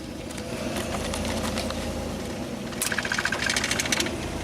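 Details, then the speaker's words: Ford Explorer on first drive after reassembly: loud, uneven, lawnmower-like running with scattered irregular clicks and pops, later shut off; rough running, cause unknown. "That thing's loud. Sounds like a lawnmower."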